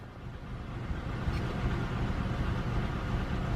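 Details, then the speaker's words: GM car idling before repair, setting code P0300 random cylinder misfire. Uneven, lumpy idle with a stumbling low chug. "Okay, we got the car running right now. Man, it's running kind of bad."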